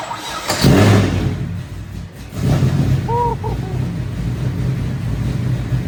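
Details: 500hp GTO with dry sump, flex-fuel tune defaulting to 80% ethanol on sensor failure, first start after revival, primed by spinning the dry sump pump on the starter: brief crank, loud bark, then a strong, lumpy idle.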